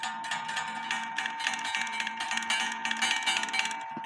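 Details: Black Forest wooden-movement clock made 1860, strike adjustment: bright repeated gong strikes with uneven spacing and ringing tails; inside gong hammer lift likely set too high after micro adjustments. Gong strike irregular.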